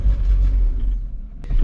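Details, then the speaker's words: Roughly 1978 Ford F250 crew cab V8 with cheap plug wires, revved hard: a deep, loud rumble with a raw unmuffled bark. Exhaust is open at the back and needs fixing. "Other than that, she's clearly a race truck with that loud exhaust. See, I can give her the beans if I want. I think we need to get that fixed, too."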